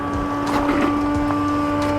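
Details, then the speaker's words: 2009 BMW 120i E88 convertible after a soft top motor replacement, a fluid leak repair and refilling, with air possibly still in the system: steady, even electric hum without straining; the top pump runs normally. "Alright, so far so good. I can hear the pump. There you go."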